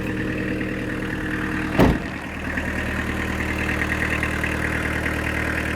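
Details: Fiat Doblo 1.9 diesel, about 350,000 km, converted to a mechanical SDI-type injection pump (9 mm pumping head, about 70 hp) with the timing retarded slightly. Steady, even diesel clatter at idle with one brief bump early on, then a smooth settled rhythm; normal idle.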